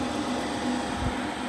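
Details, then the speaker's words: Denford Viceroy pillar drill, Hoover 3-phase motor after bearing replacement: normal running, steady low hum, noise only from the front drill, absolutely no noise from the motor at the back. "That is the drill. Noise from the front. Absolutely no noise from the motor at the back."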